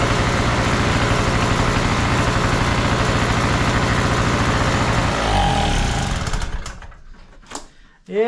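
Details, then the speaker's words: Trash-found Harbor Freight Tailgater two-stroke generator after carburetor bowl cleaning: loud, buzzy, holding even speed without misfires before winding down and stopping; running normally. "it's kind of loud, but hey, if you're in an ice storm or a power outage, hey, you ain't gonna hear it outside while you're in there watching TV, when everybody else is sitting in the dark."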